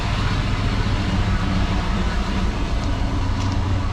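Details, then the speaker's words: 1994 Chevrolet K1500 Blazer, first start after 18 years parked, with new gas tank and fuel pump: fires off the key into an even, steady low rumble, no misses or stumbles, barely smoking; normal idle. "Fires off the key. Bless its heart."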